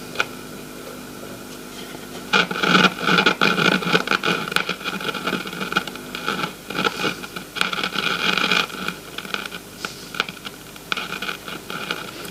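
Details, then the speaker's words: AWA B15 valve radio chassis, recapped, no speaker connected: irregular crackle and hiss bursts over steady background, coming and going; suspected silver mica disease or a loose valve, not confirmed. "so it sounds like silver marker disease or a loose valve"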